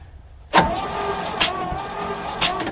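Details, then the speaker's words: 1967 Chevrolet C50 V8 parked about nine years, thumb compression test at an open plug hole while cranking: steady starter whine with soft puffs about once a second; weak compression, two cylinders have nothing. "it's kind of weak so we got two that have nothing"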